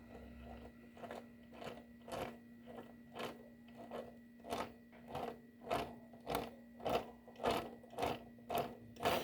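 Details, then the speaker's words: Honda Bros 150 2013 motorcycle, noise mistaken for cam chain: primary shaft bearing broken with play, spun by hand giving rough gritty bursts almost twice a second. "então quando eu sei que tem um ruído é no motor 90% eu sei que é rolamento é quebrado com folga defeituoso"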